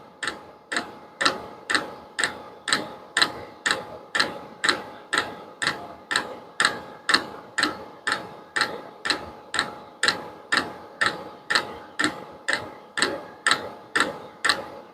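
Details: Vevor diesel heater at its lowest setting, tube still warm at about 194: the fuel dosing pump ticks crisply and evenly about twice a second over a faint hum. Normal fuel pump ticking.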